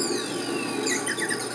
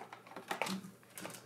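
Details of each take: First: Laser galvo mirrors driven by an audio amplifier: thin, tinny chirping and buzzing that follows the music's notes; mirrors moving and responding to the signal normally. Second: Laser display galvo scanner driven by TDA2050 audio amplifiers without feedback loop, mirror only maxing out to one direction or the other: sharp, irregular dry clicks several per second; mirror hitting its end stops.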